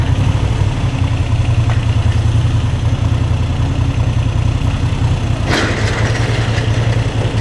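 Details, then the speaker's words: New Moto Guzzi V7 III, warm after 75-mile ride, idling in neutral: low steady thump, clatter eases to faint rattle once clutch is pulled in; idle rattle reduced with clutch in, cause unknown. "Now you can hear the cute little bucket of bolts really good. Neutral, clutch in."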